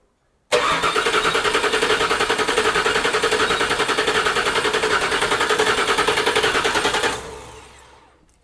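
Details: 1979 Toyota Cressida with 5.4L V8 swap, first start attempt after wiring new fuel pump: steady rapid cranking about 3.5 beats a second for six seconds, never catches; cause unconfirmed, ECU connectors rechecked.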